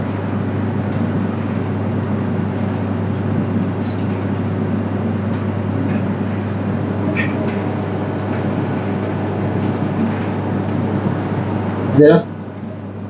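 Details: Whirlpool dryer that would not heat, running after the heater was replaced: steady, even drum rumble and motor hum with no knocks, scraping or squeal; normal running.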